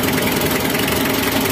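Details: Mitsubishi L300 diesel with stinging white-to-grey exhaust smoke; compression is suspected of leaking past poorly lubricated cylinder walls, giving incomplete combustion. Loud clatter at idle with an uneven, stumbling beat.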